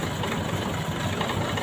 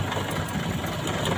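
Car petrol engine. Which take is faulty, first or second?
second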